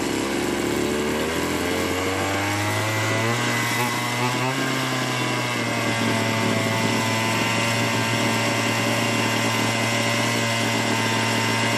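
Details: Small two-stroke chainsaw, long idle and dead, running again after carburetor work: steady fast idle with an even buzzing drone; normal running.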